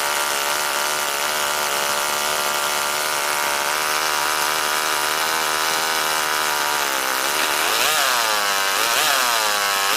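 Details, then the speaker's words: NR200 8.6cc twin-cylinder four-stroke glow engine (rated 22,000 rpm), first start-up on factory settings without water cooling connected, already hot: steady high buzz snapping up and down in quick sharp revs, idle set high and needing adjustment; normal running. "I don't want to run it too long without the water system in there, but wow, that sounds cool. Wow, that revs up really, really quick."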